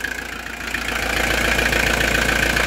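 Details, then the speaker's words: Camper van diesel after a major service and oil filter change, started after longer glow-plug preheating to purge air through the filter: even idle with regular clatter, no misses or knocks, no leaks seen. Normal idle. "Hop. Et puis je vais regarder que tout va bien aussi, qu'il n'y ait pas de fuite. Bon, ça a l'air correct."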